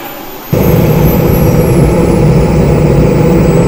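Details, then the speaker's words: RC jet-car turbine (RC-plane jet engine) in final check: steady roar under a high whistle slowly falling in pitch, smooth, no surging or rattles; entered cooling mode, everything nominal. "Okay, it's gone into cooling mode. That's brilliant. And everything looks nominal."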